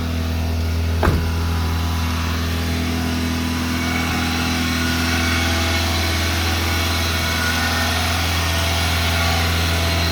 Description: Fast idle will not kick off so it stays around 2500-3000 rpm even at operating temperature.